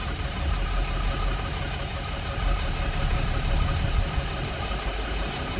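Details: Diesel truck idling after the popped-off bottom radiator hose was refitted and coolant refilled. Coolant is circulating and no leaks so far. Low, steady rumble with an even beat and no knocks or surges; healthy idle.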